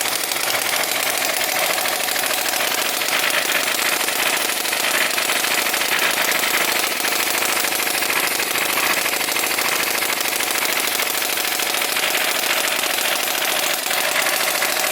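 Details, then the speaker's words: Small RC Whippet flathead engine with CDI ignition and water pump circulating through pipes, running after priming and restart; fast, buzzy, high-pitched steady running with no misses or stumbles. "Sounds cool, huh? You can hear the water pump going on there."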